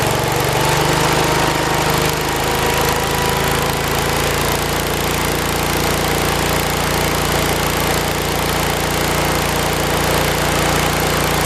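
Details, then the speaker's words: 1973 112 tractor, Kohler K301 single-cylinder, after head gasket replacement and valve adjustment (8 and 17), warmed up after about 15 minutes, throttled up: picks up speed into a steady, even drone without misses or knocking; normal running at higher throttle. "I'd say it does pretty good."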